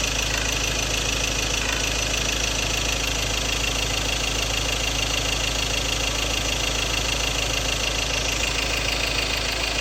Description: Ford Ranger 2.2 XLT 2016 4x2 M/T Duratorq - Engine Rattle Sound: Fuel knocking sound, possible injector problem, unresolved by Ford Group Philippines